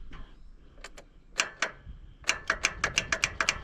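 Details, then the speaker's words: Toro TimeCutter 60-inch zero-turn that sat in a field for 2–3 years, battery just connected: quick dry clicks about four a second as the starter solenoid activates, but no cranking. The seat safety switch was considered but doubted; they plan to jump the solenoid. "Solenoid. Solenoid's activating. >> Now, it ain't doing nothing. Okay."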